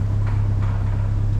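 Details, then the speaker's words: Nissan Hardbody turbo truck engine after an oil top-up, with the wideband reading very lean: steady low idle with a faint, evenly spaced knock about three times a second. Rod knock suspected, not confirmed. "That's rod knock. it's fine."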